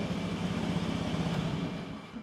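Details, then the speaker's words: Carbureted first-generation Honda Scoopy bought used with a rough puttied, spray-painted body; engine idle is even and steady with no knocks or rattles, settling down toward the end, still smooth. Normal idle. "Oh, bohlam mati. Masih halus"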